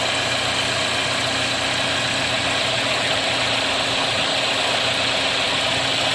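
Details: Chevy Cruze LS 1.8L (2011-2015) idling after oil cooler replacement, with some expected burn-off of WD-40: a smooth, steady idle hum with no squeal now that the AC compressor belt, which had been one groove off, has been corrected; engine healthy.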